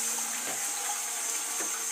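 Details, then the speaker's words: Old toilet cistern refilling after flush: steady low hooting hum under rushing water, loud enough to hear from the street at night and carried through the pipes into the next room; worn fill valve vibration. "Yes, it's like the Titanic has arrived. It's like the Titanic has risen. Now that noise, yeah, in the middle of the night, you can hear it from outside of the street. That's how loud it is."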